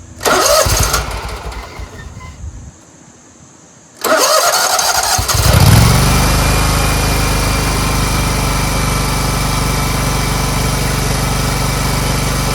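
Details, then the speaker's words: Scag Tiger Cub 48-inch zero-turn mower after reconnecting the choke linkage: brief crank, then a steady, even, crisp run with no misses or knocks despite oil in the air intake; fixed. "you could just tell that this engine is running so crisp and clean it's a really nice engine"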